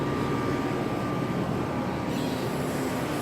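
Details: New 2018 Rheem Classic 14 SEER central air conditioner condenser, replacing a 2006 Rheem with a freon leak, running: steady fan whoosh over a constant compressor hum with a faint even tone, no rattles or clicks; normal.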